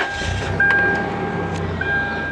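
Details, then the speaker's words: Engine idling after a rear drum brake adjustment to fix a sinking brake pedal: smooth, steady idle with a faint even tone, no misfire or knock; running normally, and pedal travel is much improved. "running like a top still so let's see what we got here for brake pedal travel"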